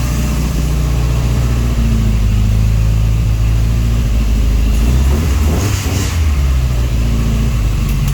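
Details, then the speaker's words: Ford Escort Mk2 turbo run unknowingly lean at 30 psi boost, lifted cylinder head, low on coolant, revved: the deep engine note stumbles and pops unevenly, a misfire from a blown head gasket, likely low compression. "so now when you start it I can't write it along because obviously hasn't cool much coolant left in it you hear that Miss I'll give it a wrap"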